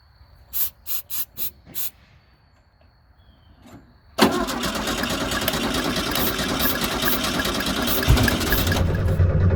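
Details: 1972 VW Super Beetle with water in the fuel tank ruining the gas: several short clicks, then the starter churns steadily without catching even with starting fluid sprayed in; cranks but won't start due to contaminated fuel.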